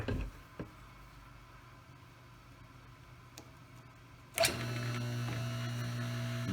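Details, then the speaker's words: Table saw single-phase AC induction motor after bearing replacement, test run before fan refitted, start windings clicking in: steady smooth hum, no rumble or grind; much quieter than before with the new bearings. "nice nice and quiet that's good here click back into the start windings one more time that's nice that's so much quieter than it was before"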